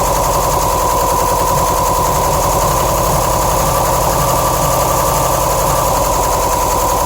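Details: 2007 Subaru STI flat-four idling with an uneven, lumpy pulse and steady whine; passenger-side AVCS oil screen check screw shredded, probably blocking the solenoid, starving cylinders 1 and 3 of oil.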